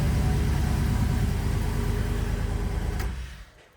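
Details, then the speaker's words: Turbocharged engine first start after work, with a known vacuum leak at the blow-off valve line: an even, steady low idle pulse until shutdown; sounds healthy. "right good sounds really good okay we can work with that"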